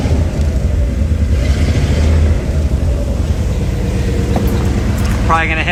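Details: 1964 Chevy Impala V8 idling right after repair of a crank-no-start fault: steady, even rumble with a low, smooth beat and no knocks or misses; starts and idles cleanly, normal idle.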